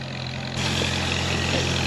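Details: 1939 Farmall H tractor after tune-up with timing redone, previously rough and missing: steady low even idle, no misses or knocks; engine fixed and healthy.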